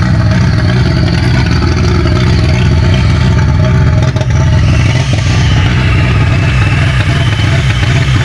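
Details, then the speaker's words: VW Golf 1.8 turbo finally starting on its first start after the build. Engine catches and runs steadily with a deep, even note, taking throttle blips without stumbling or misfiring: normal running. "bon alors t'as vu elle a démarré je suis soulagé"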